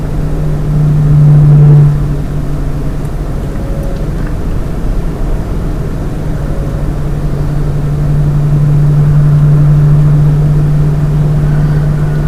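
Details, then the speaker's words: Lian Li 217 INF PC case with its stock fans, at 50% fan speed: a steady low hum at one pitch with a faint droning resonance. The fan noise and resonance persist even at 10% fan speed. "And this sound which you are hearing is happening even on 10% RPM fan speed. Okay? There is no way you can stop this."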